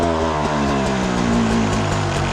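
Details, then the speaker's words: Beta 300 two-stroke with Smart Carb SC2, before richening the clicker: revs rise then sag flat when the throttle is cracked, stumbling before recovering, even after clearing it out; lean bog off idle. "see when you go to crack it yeah when you go to like crack the throttle it bogs right out and even after I blow it out a little"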